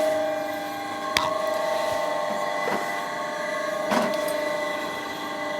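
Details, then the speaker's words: Bridgeport Series 1 2J2 2HP mill fed by a rotary inverter converting single phase to three phase through an idler motor, switched on: steady electric motor hum with a constant tone and clicks as the contactors pull in. The converter runs normally. "we turn her on. You hear the contactors click in, and then we've got power to all things, so we can put our power feed on."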